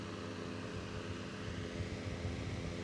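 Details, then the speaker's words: Electric fan that had a rough, grinding sound, after lubricant was applied to the axle; quiet, steady motor hum with no scraping, rubbing or rattle, fan running normally again. "Maintenant, le son du ventilateur n'est plus rugueux . Nous mettons simplement du lubrifiant sur l' essieu et après cela, le ventilateur revient à la normale"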